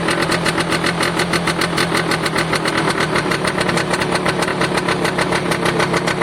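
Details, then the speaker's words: Piaggio Diesis 100cc two-stroke scooter, free restoration, oil pump confirmed pulsing; fast, even idle with sharp puffing chatter on each beat from a small visible exhaust hole, another leak heard but not found, otherwise running okay. "I can hear a hole somewhere else, but I can't see one."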